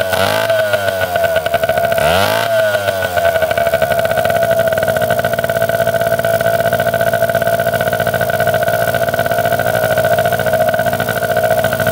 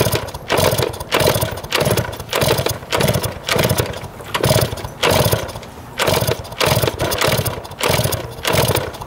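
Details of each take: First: 1971 Yamaha JT1 mini enduro two-stroke, stored about 30 years, after clearing mouse droppings and poison from the clogged exhaust and setting the idle: settles into a steady, even buzzing idle with no misses or surging; running properly. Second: 1971 Yamaha JT1 mini enduro two-stroke, stored about 30 years, with spark, fuel and 133 psi compression confirmed: rhythmic choked popping about twice a second that never clears, because the exhaust was clogged with mouse droppings or poison.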